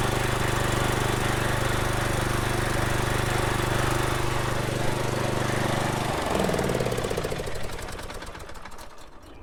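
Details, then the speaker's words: Kohler-engined Troy-Bilt riding mower after a makeshift fix of the mouse-chewed Nikki carburetor fuel shutoff solenoid: even, steady single-cylinder drone for six seconds, winding down cleanly at shutoff. Runs normally, no leaks. "I didn't see any leaks anywhere seems like it's running okay"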